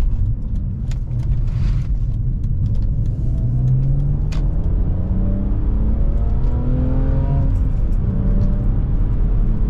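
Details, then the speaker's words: BMW E46 325ci driven, after owner welded its leaking exhaust headers (leak present about 6 months): deep clean exhaust bark rising smoothly through each gear, no ticking or puffing; sealed, good bark without being obnoxious. "This is exactly what I was hoping these headers would sound when they're clean. They still have a good bark. Just loud enough so you can hear them, but not obnoxious."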